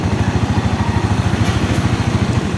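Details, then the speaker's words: Rusi 125/150/175 motorcycle, idling then fuse removed: steady low putter falters and dies; no supply from regulator red wire, battery drained. "Ayan namatay yung motor kasi ibig sabihin wala siyang supply galing sa regulator itong pula ng wire so kaya na-drain itong kanyang battery."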